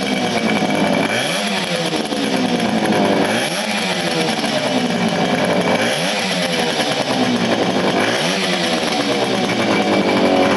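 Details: 1975 Motobécane Motoconfort 125 LT2 two-stroke, first start after restoration following engine failure in late 1990s, new crankshaft and gearbox bearings: crisp ringing buzz blipped up and down every 2.5 seconds, picking up cleanly; normal running.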